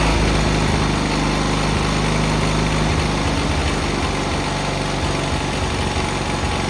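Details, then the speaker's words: Cub Cadet 682 tractor with Kohler KT17 twin, started right up first time after sitting (solenoid jumped, battery charger attached): even, steady idle with a smooth low thrum and no knocks or misses; healthy engine, works really well. "Pretty happy with it. It works really well."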